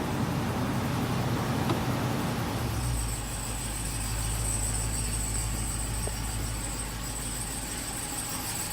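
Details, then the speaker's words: 2018 Ram 2500 6.4 Hemi V8, only 500 miles, cold morning start after sitting two days: thin, high-pitched squeak or chirp over the low idle rumble; cause unknown to owner. "I haven't driven it in 2 days, and anytime I get in the morning to go anywhere, it makes a squeaking noise."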